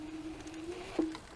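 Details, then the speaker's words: Cunfon RZ1000 dual-motor 2400 W electric scooter climbing a steep grassy hill: steady motor whine spikes with a jolt then fades as power cuts out when the front wheel spins; owner wonders about overheating. "The second downside is when you try to climb up super steep hill and you can't apply enough pressure for the front tire to grip and it starts spinning over the grass, the scooter is like cutting off and shutting down. It's cutting out, you see?"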